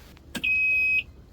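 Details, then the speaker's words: Boat with 5 L V8 MPI engine, no priming needed, at key-on: one clean, steady high beep after a click, the warning-system self-test; no oil pressure yet, engine temperature not exceeded, all normal before starting cold. "pisk wszystko poprawnie i odpalamy silnik"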